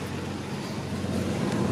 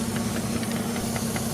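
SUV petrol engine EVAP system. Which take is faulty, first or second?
second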